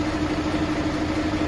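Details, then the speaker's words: Mercedes-Benz Actros truck diesel: steady idle with uneven knock on the firing beat traced to cylinder number 6; injector nozzle to be checked next. "छः number cylinder से आवाज़ है, अभी हमने इसको जो है ट्रैक कर लिया छः नंबर से।"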